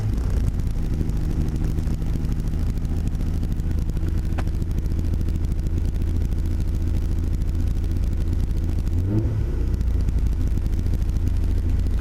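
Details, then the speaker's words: Nissan 300ZX Z32 with swapped Skyline GT-R RB26DETT, cold start: steady, even six-cylinder hum held at raised cold idle, O2 sensor still heating, no knocks or misses; normal high idle that drops as it warms. "It'll idle high and then slow down later."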